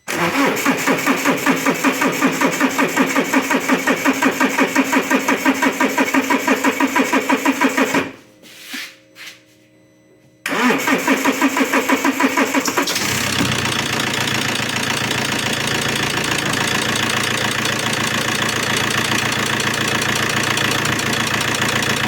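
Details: Alfa Romeo 1.9 JTD diesel (159 1.9 MJet) with P0340 and low power: slow, long cranking at about three turns a second before it catches into a harsh, very noisy idle. Timing being checked.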